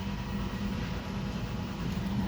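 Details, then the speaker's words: 2021 Nissan Sentra, customer no-start: steady low starter churn with accelerator floored, no firing or catch; scan showed low fuel pressure, cranks but gets no fuel because the fuel pump fuse was missing. "Alright, so now no start when you crank it. You put my foot down on the gas pedal, all the way down."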